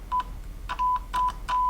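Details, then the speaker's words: Vacuum tube microphone amplifier under repair, a 1 kHz test tone sent through the output transformer to the loudspeaker comes through clear and undistorted in short bursts as the leads make contact; transformer and speaker working normally. "as you can hear it's working uh perfectly um you could also check it with an oscilloscope to make sure that it's working perfectly fine but it sounds clear"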